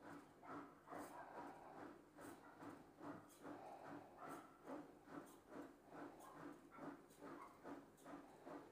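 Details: Bosch front-loader washing machine after repair for poor, noisy spin leaving clothes wet: spin cycle now runs smoothly, a soft whooshing pulse about twice a second, no grinding or knocking.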